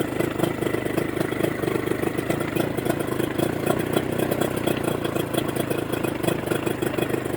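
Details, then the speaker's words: Mercury 25 HP two-stroke outboard after installing Boyesen power reeds, in neutral, idle being adjusted via the cam: quick, even putter with steady beat, no misses or surging; idling cleanly. "send me your reaction again running very good hey it works great now you're playing with the cam all right for the idol idol okay"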